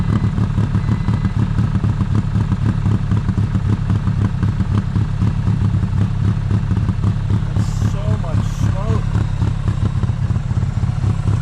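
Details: 1995 Honda Acty carbureted engine idling very rough after jump start at 27°F, unused 2–3 weeks; low, uneven, loping stumble about four per second, running rich and flooding, heavy white smoke, gas pouring from air filter and charcoal canister; owner suspects stuck carburetor float.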